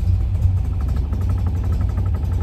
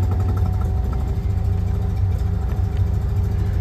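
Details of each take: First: Classic car with AccuSpark BlackBox 3 programmable ignition, vacuum hose pinched: low, lumpy, uneven idle on 10° initial advance only; reconnecting vacuum advance smooths the tick-over immediately. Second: Classic car with BlackBox 3 programmable ignition at idle: after reducing the programmed vacuum threshold so vacuum advance cuts in at tick-over, the idle becomes a low, steady, even firing beat with no stumble, noticeably smoother.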